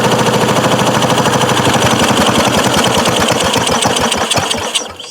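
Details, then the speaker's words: 1993 Craftsman LT4000 riding mower, first start after sitting 4 years, choked: rapid uneven single-cylinder chugging around three per second that sags and stalls; owner suspects it ran out of gas or a bad air filter choked it. "Probably ran out of gas. Should check to make sure that thing isn't leaking again. Oh, doesn't look like it. Or maybe the air filter choked it out."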